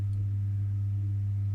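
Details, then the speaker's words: Elektro Automatik EA PS 7016 bench power supply (2001, 16 V 20 A, 320 W, SCR pre-regulated) at idle. Its original transformer hums loud, low and steady with buzzy overtones from a shorted turn through the core, linked to a faulty E-core screw. "oh man there's definitely something wrong"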